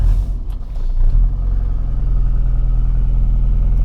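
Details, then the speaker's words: 1964 Morris Mini Cooper S 1071cc, single carb, cold start without choke: fires straight up and settles into a steady, deep, even idle with no stumbling or misses; normal cold idle. "look it's cold I didn't even pull the choke and it fired right up with that single carb"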